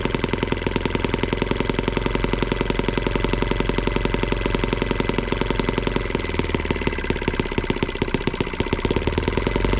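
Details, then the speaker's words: Small M12B model engine on white gas, warm, after leaning the needles an eighth of a turn: fast steady crackle of firing pulses at even speed, no stumbling or dropouts; running cleanly. "all right guys well there you have it at least this one here does run on white gas so there you go"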